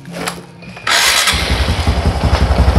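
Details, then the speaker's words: Carbureted Honda Supra X125, cam chain noise repaired, cover bolt with O-ring refitted: engine catches and settles into a clean, even low idle with no ticking or chain rattle, sounding like new. "Ternyata suaranya bersih, jernih, halus ya, persis kayak motor baru ya, persis kayak baru dia keluar dari dealer itu ya teman-teman ya."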